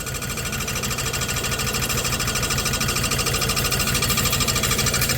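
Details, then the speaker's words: 1991 Dodge Grand Caravan SE V6, first start after 21 years abandoned, drivetrain reinstalled: fast steady scraping tick about two beats a second at idle; owner suspects the new oil pan rubbing on the flex plate or bell housing; lifters sound good. "I think it's rubbing. I think it's the new oil pan rubbing on the bell housing or the flex plate."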